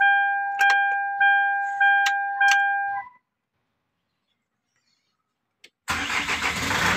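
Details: Hyundai Grand Starex that would not start, with glow plug and check engine lights flashing (ECU suspected), after a part was replaced: a few warning chimes, then the engine catches on the first crank and settles into a steady run.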